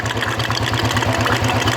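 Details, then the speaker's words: Royal Enfield 350 Electra single-cylinder after clearing a blocked oil hole that had caused tappet noise: an even idle thump with no tapping. Finding: normal idle, tappet noise gone. "तो देखिए किस तरह ऑयल फेंक रहा है और आवाज़ भी बंद हो गया है। आपको दिख रहा, इस गाड़ी का जो आवाज़ था वो बंद हो गया"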